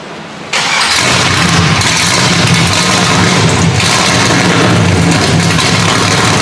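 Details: LSX-swapped 450 hp Datsun 280Z, first start with its newly built custom exhaust: the V8 catches at once and settles into a deep, steady, even idle with no misses or knocks, a healthy start.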